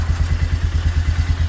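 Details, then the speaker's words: 1998 Polaris Sportsman 500 4x4 that cranked but wouldn't start, now starting with the speedometer sensor wire unplugged: quick, even single-cylinder putter at about ten beats a second, steady and clean with no miss; healthy idle. "so now i can just crank it up it will start right up"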